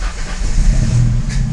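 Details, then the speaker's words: Car with a faulty fuel gauge that ran the tank empty, cranking after about five gallons were added: engine catches and settles into a steady, even low rumble with no misses or knocks; nothing else wrong. "you see that so nothing wrong with the car just because the gauge is not working"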